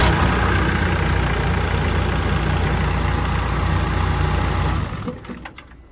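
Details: 140 diesel starting after the fuel pump relay issue was found (that relay also powers the start solenoid exciter wire); catches, settles to steady clattering idle about three beats a second, winds down cleanly. Normal start and idle.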